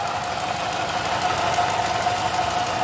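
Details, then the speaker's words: 2008 Dodge Charger at idle: steady harsh grinding, gurgling metallic noise with a high whine over injector ticking from the front of the engine; owner suspects a malfunctioning timing chain tensioner inside the timing cover, water pump or pulley also considered. "you can hear the kind of grinding gurgling metal metallic noise you can also hear the injectors pulsing that tick tick tick tick tick but that grinding noise is not normal"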